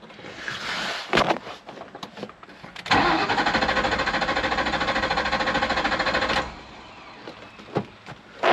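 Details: 1998 Ford Mustang with about 122,000 miles, not started for a year: the starter spins the engine at a steady three to four turns a second for about three seconds but it never fires. Theft light flashes and no keys are registered; security system suspected, unconfirmed.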